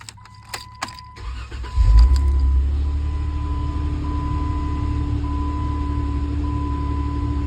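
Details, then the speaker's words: Chrysler 3.6L Pentastar V6 after replacing the leaking oil filter housing/oil cooler with an upgrade, new intake plenum gaskets and fresh coolant: keys jingle, short crank, then smooth even idle; normal start, no leaks or oil-coolant mixing. "so we're going to go ahead and start it up and make sure everything runs right, make sure we don't have any leaks or any issues or anything like that."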